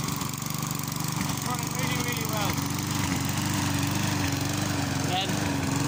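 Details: Mountfield self-propelled lawn mower rescued from scrap, with new electric brake, started with a bit of throttle: steady, even chugging at about four beats a second, no knocks or misses, running cleanly.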